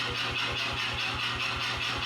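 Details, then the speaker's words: New C41 55kg pneumatic power hammer after repair (locked up on day one, cleaned with WD-40, parts replaced, re-oiled) striking 2x4s; quick crisp evenly spaced blows about five per second over steady motor hum; normal running. "So, this thing is once again working correctly and it is excellent at destroying 2x4s."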